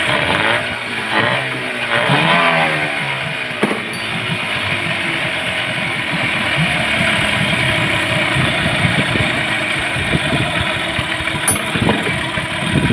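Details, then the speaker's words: Yamaha 15 hp outboard after replacing a weakened ignition coil and fixing a flooding carburetor: steady, even note settling after starting with no misses; starts easily and runs normally at idle. "itu dia tadi mesinnya sudah mantap tidak susah hidup lagi Kemudian tenaga sudah bagus"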